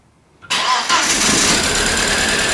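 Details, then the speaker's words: VW Passat B5 being started again: starter kicks in abruptly and churns with a steady hiss and whir, but the engine won't catch; they believe the battery is really weak: cranking, no start. "so bitte nochmal starten noch mal nicht groß ich glaube die batterie wirklich schwach"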